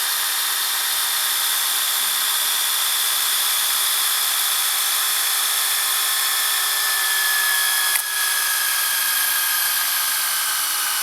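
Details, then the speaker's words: Panasonic SA-HT820V VCR/5-disc DVD combo rewinding at high speed after the tape reaches its end, tape still loaded on the heads; loud, steady high-pitched "jet engine" whine held through the rewind; normal noise. "It sounds like a jet engine, like some people in the VCR community would say."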